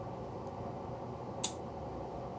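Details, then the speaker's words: Faulty UNI-T UTP3315TFL-11 30 V 5 A linear bench power supply: one sharp relay click over a faint hum as it switches transformer taps (19-32, 32-43, 43-55 V); relays work normally, but the output is stuck in constant current at 0 A. "so I'm gonna click into the next so ok 19 to 30 2 and then it should click in again yep 32 to 43"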